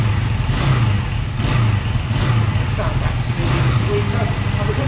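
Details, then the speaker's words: Honda Benley motorcycle single ticking over, before oil change and timing or points check: even, low, steady tickover without knocks, misses or rattles; normal idle. "But look, that's ticking over okay."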